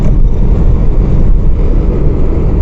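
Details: Toyota Innova diesel, after fixing second sensor wiring fault that caused the malfunction light: steady, even low diesel idle with no knocks, misses or surging.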